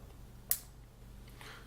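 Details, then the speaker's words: Automotive relay on a bench test, 1 A fuse on the low-current switching side and a 35 W lamp drawing about 3 A: single sharp click as the coil pulls in over a low supply hum; relay switching normally. "that you can hear they're clicking that's the the relay being switched on so that's happy to work"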